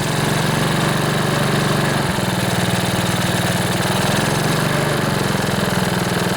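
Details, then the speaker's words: Older Honda HRB215 plastic-deck lawnmower after carburetor cleaning, choke just turned off, air filter removed; steady even single-cylinder putter at fast idle with no misses or surging, normal running though not yet revving fully. "All right, I just turned the choke off. We'll see if it'll idle. Yeah, that sounds pretty good. Gonna let it warm up a bit."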